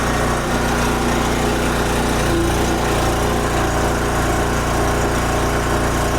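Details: Wen Power Pro 3500 W generator, revived after about 15 years unused, loaded to about 3,050 W at 58 Hz: steady, even drone holding speed with no hunting or misfire; healthy engine under heavy load.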